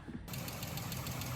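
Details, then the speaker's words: Chrysler 3.6 Pentastar V6 (Gen I/II, pre-VVL) in a van at idle, heard as aggregate engine noise; fast light typewriter-like chatter over the idle, worn rocker arm roller bearings: the Pentastar rocker arm tick. "you can hear the tick clearly they will all take a a little bit but it's more like a a a light chatter like a typewriter that is like a guy really typing"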